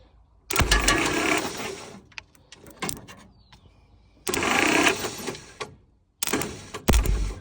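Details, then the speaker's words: 1946 Willys CJ2a engine after 40+ years sitting, plugs out, new 12V battery with the ground cleaned and moved to the starter support, temporary jumper to the starter: three bursts of brisk, even cranking. The engine turns over freely; normal cranking. "I just want to see if this thing will turn over with the battery."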